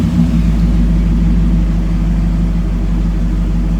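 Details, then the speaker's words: Barn-find 1967 Chevrolet KC10 truck, carbureted engine that had sat a long time and just got a new battery, idling after being flooded on start: deep steady low rumble with no knocks or misses, runs good, normal idle. "But she sits here and idles, runs good."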